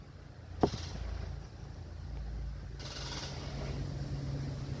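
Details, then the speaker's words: Lexus LS460 at starter key: sharp click then high airy jet-like whirring with no cranking beats; starter spinning without engaging engine, starter failed and being replaced. "But when we hit the starter key, hear that noise? Kind of sounds like a jet engine starting up or something."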